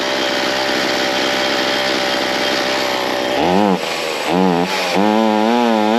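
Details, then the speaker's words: Ryobi C4618 chainsaw two-stroke after low-jet adjustment, opened in half turns from fully closed: settles into a steady buzzing idle without dying; normal idle, high jet still needing a slight adjustment for throttle response. "Okay, so I'm in the ballpark here. You could hear it idled up and it idles uh at an idling speed."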